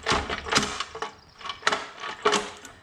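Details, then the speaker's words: Go-kart engine with electric starter and solenoid: uneven bursts of dry rattling and clattering while cranking, like loose debris in the engine cover; owner suspects chipmunk nest of droppings, seeds or shells inside the cover, unconfirmed; clutch possibly frozen. "sounds like the engine cover is full of uh chipmunk droppings or something seeds or shells or something so they probably made a nest inside there"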